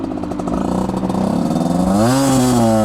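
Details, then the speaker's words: 50cc Aprilia two-stroke dirt bike, stock cylinder with breather mods, being jetted; carb slide cutout cut from 30 to 40: buzz stumbles then climbs when throttle opens after shifting; was running super rich, now slightly too lean. "It was running super rich and now it's running like slightly [snorts] too lean."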